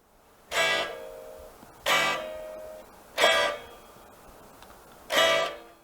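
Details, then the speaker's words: Ibanez RG970 with a Zero Edge tremolo (4 springs): chord strums leave a thin metallic ring from the undamped springs. Wrapping cloth around the springs is suggested. "So, it's quite noisy. You hear the springs ringing a lot."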